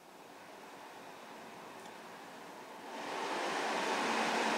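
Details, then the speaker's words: 2016 Ford F-150 EcoBoost, radiator cooling fan commanded on through the PCM actuation test of a Launch X431 scan tool in a closed garage: a steady airy rush swells sharply about three seconds in as the fan reaches high speed; working normally. "Surely you hear that high speed."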